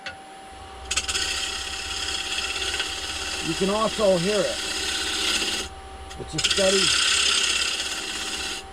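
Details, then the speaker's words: Wood lathe bowl turning from a log on a faceplate, modified bowl gouge on the bottom/face: even, unbroken shaving hiss all the way round, no chatter or bouncing, earlier skipping gone; face now flat and running true, steady continuous cut. "now you can tell when this thing is flat because it shaves all the way around you can see that it's hitting every place"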